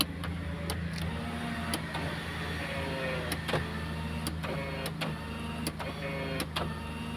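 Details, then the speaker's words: Maruti Suzuki Alto 800 power window after the switch repair, engine started and idling to spare the battery: a steady, even low motor hum without straining. The window, which would not go down before, now goes down and up correctly. "ഇപ്പൊ അത് correct correct ആയിട്ട് തന്നെ work ചെയ്യുന്നുണ്ട് നേരത്തെ താഴോട്ട് ഇറങ്ങുന്നില്ലായിരുന്നു ഇപ്പൊ അത് correct ആയിട്ട് തന്നെ താഴോട്ട് ഇറങ്ങുന്നുണ്ട് അതുപോലെ തന്നെ മുകളിലോട്ടും കയറുന്നുണ്ട്"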